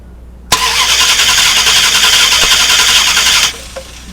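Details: 2000 Dodge Durango 5.9L V8, before coil replacement: steady starter cranking at about 3.5 beats a second with no catch or firing. Crank no-start caused by a weak spark from a failing ignition coil.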